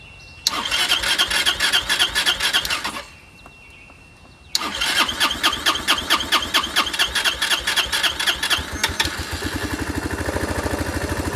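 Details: Curb-found Chinese 150cc Moto Cooper Revo/CF Moto scooter, ignition hot-wired, breather disconnected, primed: long bursts of rapid starter cranking with pauses, then a ragged catch late on; fires only when primed, owner suspects fuel delivery problem.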